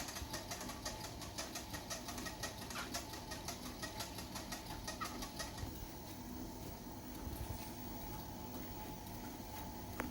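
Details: Xiaomi Walkingpad C1 walking treadmill: rapid high squeaks at startup after being folded or unused for 8–12 hours, settling into a smoother hum; the noise is gone after about 2 minutes. The owner wonders if lubricant is needed.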